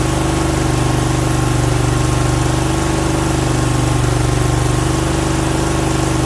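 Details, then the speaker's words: Briggs & Stratton Vanguard V-twin with new oil cooler, after head gasket and head replacement for slipped valve guide, first start: slightly rough at first, then even, strong idle with steady low throb, no misses or knocks. "So she was a little rough at first, but she evened right out. Sounds good and strong too, I think."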